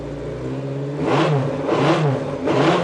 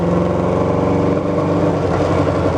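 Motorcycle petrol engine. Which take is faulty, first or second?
second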